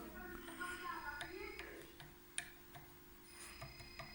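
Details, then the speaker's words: Coilover shock absorber stroked on bench, holding gas and seal fine: sharp, uneven dull knocks a few times a second; knock cause unclear, bushings to be removed by machinist for inspection. "Но вот этот вот стучок,"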